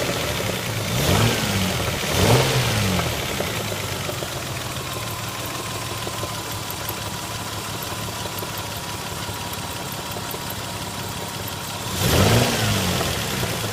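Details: Lexus ES 300 V6 idling: light irregular knock under the running, plus a few quick throttle blips. Knocking, source unclear.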